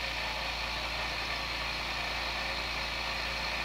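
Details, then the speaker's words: New airbrush air compressor, newly unboxed, filling tank to 45-50 psi: constant motor drone with strong airy hiss, no knocking or stutter; normal compressor running, quiet enough to talk over. "I think this is gonna work out okay for while I'm airbrushing so you can hear me talk"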